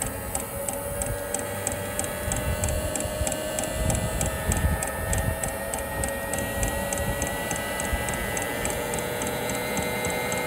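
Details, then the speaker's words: Espar hydronic coolant heater on an International truck, suspected to have debris chunks inside: after the igniter works it fires, giving steady even ticking two to three times a second over a low hum; running fine. "yep it's fired alright victory"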